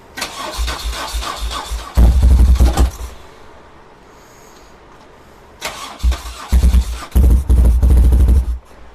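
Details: 1978 BMW R100S boxer twin, first start attempts after years of storage, choke on: uneven bursts of firing that catch and stumble between quiet gaps, lopsided. The left cylinder is dead because the left carburetor is gummed up.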